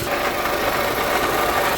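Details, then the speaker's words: Toyota RAV4 4-cylinder at idle after water pump and gasket replacement: even, steady idle hum with no squeal or grinding. The earlier gravelly noise from the old water pump is gone. Normal idle. "all right so you can hear that the noise is gone"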